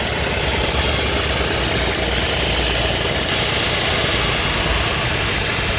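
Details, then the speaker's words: Kia Ray petrol engine at 338,000 km in winter: loud, harsh, rattly roar full of hiss when pressing the accelerator while driving, quieter once warmed; loud abnormal cold-engine noise, owner fears it may stall. "주행 중에도 엑셀만 밟으면 소리가 꽤 크게 나고 멈출 거 같아요 차가 조금 달궈지면 그래도 소리가 안 들리게"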